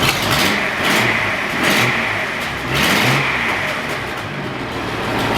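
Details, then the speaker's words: Datsun 240C petrol engine after new spark plugs, cap and rotor button to cure a misfire: three clean revs pulling evenly with no stumble, running smoothly now; an exhaust leak at the front manifold remains. "That's awesome. That's so good now."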